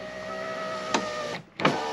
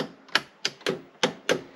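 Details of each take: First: 1985 JDM Toyota Corolla FXGT (AE82) passenger power window: smooth even motor whir then soft clunk at end of travel; fully functional, a little sticky. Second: 1985 JDM Toyota Corolla FXGT (AE82) electric door locks: six sharp clacks about a third of a second apart, some softer; locks sticky, owner suspects they need lubrication.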